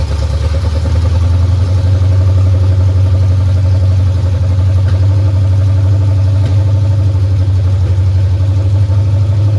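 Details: 1989 Mustang GT 5.0 carbureted V8, high-mileage stock shortblock, GT40 heads, mystery cam, longtube headers, just restarted after fuel pump hookup: deep strong rumble through open pipes, even idle holding steady without stumbling; normal idle.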